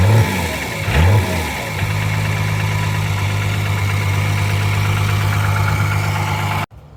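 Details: Abandoned 12-valve Cummins inline-six diesel truck, first start after sitting nine years: a couple of blips, then a steady, even idle clatter with no knocking. The injection pump seems a little sticky but is improving. The tank was found empty, probably siphoned.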